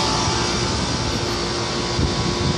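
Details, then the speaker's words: Old running air-conditioner condenser unit: a loud, coarse hum with a rough, uneven rumble under the fan rush. The compressor is judged to be going out. "This one is very loud. Compressor is going out."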